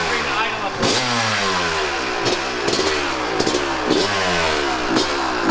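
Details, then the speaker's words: 1998 Kawasaki KX250 two-stroke after repair following poor running since rebuild: kicks over, crisp, slightly uneven ring-ding idle with throttle blips; sounds much better; normal idle. "I think he's happy oh that sounded better what do you think we got it"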